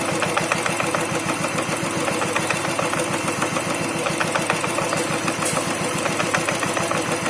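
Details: New Royal Enfield Thunderbird 350X at idle: steady single-cylinder idle with a loose knock about three per second from the clutch side, present since new despite repeated service visits; cause unclear.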